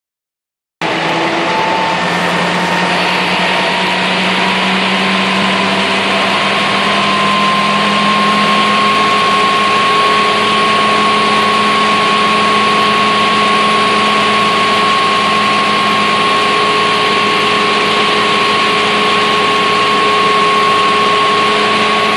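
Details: Smeal fire truck (E3003) fire pump running with a loud steady roar, harsh gravelly hiss and thin whine: pump cavitation.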